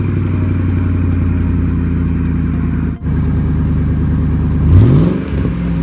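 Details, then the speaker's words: Exhaust pipe after welding repair with a cheap welder: even steady idle rising cleanly on a quick blip, no ticking or puffing; exhaust sealed and healthy. "all right guys so as you can tell in here the exhaust sounds so much better"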